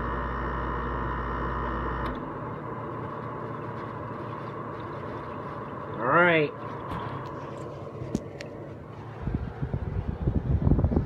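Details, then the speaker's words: LG window AC unit, compressor kicking in a second or two after the fan and running cold, steady even hum then clean shutdown; normal compressor running. "you hear that noise it makes that's compressor page in like it usually fades in after like a second or two"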